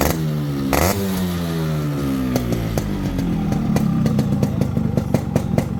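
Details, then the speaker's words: Restored Yamaha RX two-stroke motorcycle with new chain bracket and new cables: crisp two-stroke beat picking up cleanly with the throttle, even and knock-free; engine sounds healthy. "So இந்த வண்டி beat sound கேட்டிருப்பீங்க எப்படி இருக்குங்கறத மறக்காம comment பாக்ஸ்ல சொல்லுங்க"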